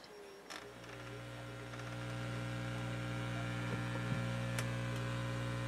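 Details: Realistic STA-2100D amplifier back on warranty, after replacing feedback-loop capacitors, input off and volume up: faint steady mains hum, low hiss, occasional taps from microphonic cables; rumble gone, normal.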